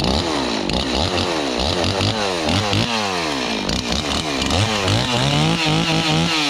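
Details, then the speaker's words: Long-neglected Stihl 026 two-stroke chainsaw after carburetor cleaning and fresh gas mix: repeated throttle blips, pitch rising and falling cleanly without bogging; normal running. "That sounds pretty good. So yeah, so this thing is doing, I'm not a chainsaw expert, but this seems like it's running really well now."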